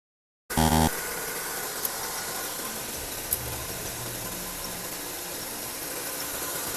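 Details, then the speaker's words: 2015-2018 Honda Civic, car jacked up, idling: steady rough hiss-and-whir from a worn belt idler pulley bearing, heard before removing engine mount and belt to replace the idler. "In the meantime, I let you hear the sound of the bearing make a noise. You can hear that after the car jack up, okay?"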